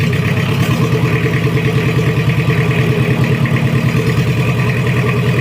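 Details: Toyota Kijang 2L diesel, freshly rebuilt after burning oil, idling while being left to warm up: steady clatter, an even low chug about three beats a second, no knocking or misses. Normal idle; oil pressure normal.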